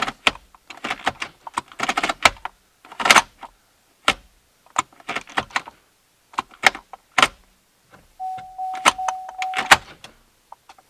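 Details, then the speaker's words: 2008 Chevy Impala stuck in park, after soldering the brake shift interlock solenoid wiring: crisp short clicks from inside the cabin as the brake pedal is pressed; solenoid now working, fixed. "that's the solenoid clicking it's fixed"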